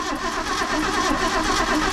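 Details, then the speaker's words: 1979 Ford F-250 welding truck, revival attempt with two-stroke-mixed gas added; the starter churns at a steady, even rhythm with no firing or catch: cranks evenly but won't start. "it didn't but no that's an even crank it's even crank oh no it ain't going that's a turd"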